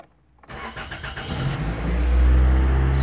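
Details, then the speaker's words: 2000 Toyota Celica GT 1.8L after repairs on cylinders 2 and 3: brief crank, catches at once, steady even run, no extended crank as before and zero misfire counts on all cylinders. "way way better guys before there was a little bit of a extended crank this time it cranked over with no problem"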